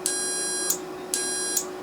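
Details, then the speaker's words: Carrier furnace control board HK42FZ011, relay on continuity meter: beep drops out in short bursts even after tapping freed a stuck contact; internal contact bad, relay needs replacement (relays burnt by overheating from clogged filter). "so there's definitely something broke on the inside it's not getting a good contact so we still need to replace this one"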